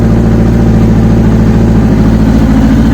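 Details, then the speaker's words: Kawasaki ZX6-R 'Kermit' after the fuel filter was refitted the correct way round and fuel lines replumbed: smooth, even idle with a steady throb, now running on all four cylinders with no misses; sounds a lot better. "i know a couple of people have commented on whether or not it was running on all four it is now um sounds a lot better"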